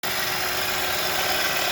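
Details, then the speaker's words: 2011-2017 Honda Odyssey 3.5L V6 idling, steady hissing whir with a faint constant hum from a worn bearing inside the power steering pump, which also leaks fluid; pump to be rebuilt with new seals and bearing. "I don't know if you guys can hear the noise from the bearing inside the power steering pump."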